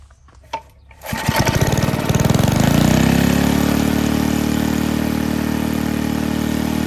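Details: Barn-fresh 1951 Briggs & Stratton 6B-SF, rated 3600 rpm, restarted with air cleaner on: catches after a second, climbs to a fast, busy even beat; no tachometer, owner thinks it runs a little fast.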